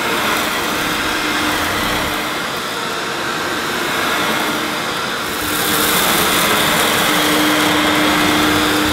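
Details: Hoover S2095 Quick Broom II mains-powered bagless stick vacuum, brand new, picking up rolled oats. Steady high motor whine with airy rush, pitch holding even through pickup. Picked all the oats up: normal running under load.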